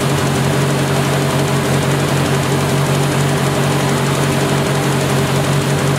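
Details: 1970 Opel GT barn find, first start in about 30 years, after a carb swap, new points and Bosch platinum plugs: steady low idle with occasional stumbles, mild misfire, feels a little rough. Choke is fully open; owner suspects carb and choke misadjustment and will check compression.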